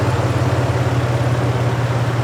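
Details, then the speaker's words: Toyota 4Runner, fully warmed up after water pump replacement: smooth, even low-hum idle with no rattle or tick; the earlier noise is gone, and the water pump looks to have fixed it. "well it's all warmed up still no noise looks like the water pump did it we are good to go"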